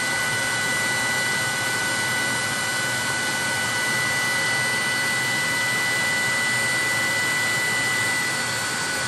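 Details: 30,000 BTU/hr multi-fuel fuel-fired personal cab heater for a 1973 M35A2 deuce and a half, after switching from run to off: blower pushes mildly warm air until it shuts off, nozzle then about 114 degrees; steady airy rush, thin constant fan-motor whine, no flame roar; normal run-down.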